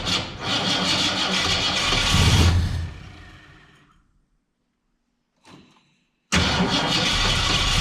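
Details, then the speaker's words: 1967 Ford Fairlane, not run in 7 years, timing adjusted: rough ragged firing for a couple of seconds dies away, then another burst. Won't stay running; owner unsure whether it is fuel, carburetor needs a rebuild, and he plans to check the valves. "I've had no luck getting it to actually stay running I don't know if it's a fuel issue I know the carburetor needs to be rebuilt at this point"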